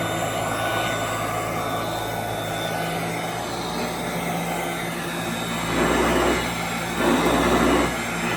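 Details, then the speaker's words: 1991 Royal Model 882T upright vacuum, just reassembled with motor brushes reinstalled after loose brush screws, probably long unserviced; on the floor: constant motor whine and smooth airy roar swelling as the head moves, strong suction, normal operation. "Quite a bit of suction. It sounds completely different."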